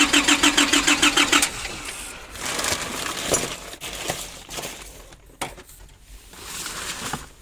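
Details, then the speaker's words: 2005 Nissan Urvan diesel, started after years of sitting, following a diesel pump fix, new oil and filter, all fuel lines replaced from tank to engine, filter primed, and a new battery. Steady cranking, then the engine catches and runs roughly as it comes up; diesel engine starting. "So I'm going to crank it and let's see. Okay, checking again. So now it's uh starting coming back."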